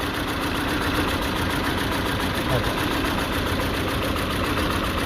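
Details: Peugeot 206 1.6 16V (TU5JP4) shaking abnormally at idle: uneven, lumpy pulses with occasional stumbles over a steady drone; lambda sensor power being checked before replacing the old sensor.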